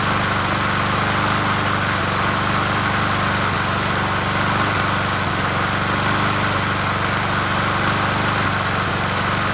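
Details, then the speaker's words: Old free Murray 20" push mower #20201D, missing gas tank, carburetor just coaxed into running, no air filter fitted; small engine runs steadily but a bit ragged with slight unevenness in the beat — rough running. "try it again it's running but we're killing the mosquito"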